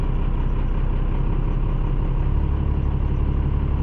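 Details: 3rd-gen truck with a swapped 12-valve diesel (P-pump, lift pump reused, overflow valve replaced), started with a little throttle, not fully cold: deep, steady diesel clatter at about three beats a second; fired up readily, idling evenly.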